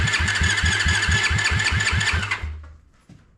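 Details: Honda ATC70 with a Piranha 140cc swap, first start: after cranking to prime oil, the owner wonders if it doesn't want choke; the single spins at about four even pulses a second without catching, then winds down.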